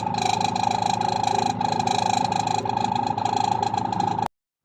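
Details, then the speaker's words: Single spin dryer giving a loud, steady high whine with a rough pulsing flutter. The motor bearing is dry and rusted from long unused storage, and the fix is oiling the motor bearing. "Syempre sa tagal na na-stock Hindi nagamit kinapitan ng kalawang kaya maing"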